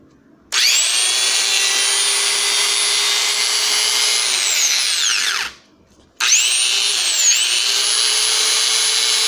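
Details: Bosch 650–660 W angle grinder (made in China) that suddenly stopped working, tested after repair checking brushes, switch and cable: spins up to a steady high whine, winds down and restarts cleanly without sparking crackle; normal running.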